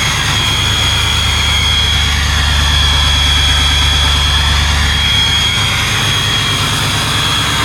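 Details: Cold start of one of several diesel trucks (7.3 Powerstrokes or a 5.9 Cummins, which one is unclear): loud, hard, uneven clatter over a deep rumble at about four knocks a second; "two hammers and a dryer," cause not confirmed.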